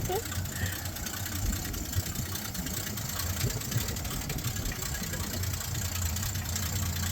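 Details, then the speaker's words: 1966 Ford Mustang V8 project car: low lumpy idle that sags and stumbles unevenly as if about to stall; rough idle, cause unclear. "I'm so scared. Sounds like it's gonna die."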